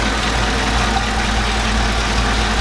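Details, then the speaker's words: Chevrolet Silverado V8 after fitting a cheap eBay oil catch can: with the catch can setup it would barely idle; with the original line back on it idles smoothly and evenly, steady low rumble, no misses or hiss. Owner wonders if the breather caused a vacuum leak. "Alright, well I got the old line back on and it's running fine, so"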